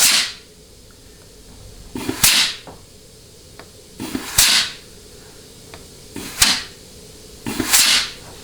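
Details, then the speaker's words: Ford C6 transmission, bench case air check, forward clutch; some hissing comes from the air nozzle itself. Short sharp blasts about every two seconds with a clean apply thump; the clutch packs and governor are in good shape. "okay very very nice so all of those clutch packs and the governor are in good shape they will work"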